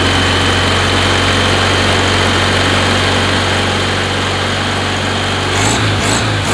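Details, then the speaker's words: 1969 VW Beetle air-cooled engine before changing to correct-heat-range spark plugs: slightly uneven, lumpy idle with occasional stumble, skipping and coughing, won't take full throttle; rough-running misfire, plugs suspected. "hear it sounds like it's running okay but it really is not running okay it's a little off you hear that does not want to full run won't let you go full throttle it's skipping all over the place starting and coughing"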